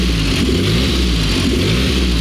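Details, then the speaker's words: Belly Tank Car engine idling just after start with a little choke and spark slightly retarded: steady, even low rumble with no knocks, ticks or misses; smooth, no extra engine noise, will idle all day. "extra engine noise. It'll sit there and idle just all day."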